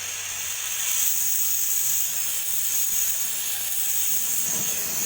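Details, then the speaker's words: Refrigerator compressor line opened during welding repair, with no gas in the system, only oil: steady high-pitched hiss of air rushing out as oil still inside is blown through the long pipe and compressor. "masih suara angin terus karena dia ada olinya didalamnya"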